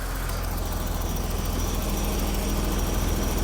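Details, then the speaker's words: BMW Alpina B10 Biturbo E34 after first service: smooth, even idle, valvetrain no longer audible, only injectors clicking, vacuum lines holding; normal idle. "So, vacuum lines are holding. Oh, it's quiet. You can't even hear the valve train anymore."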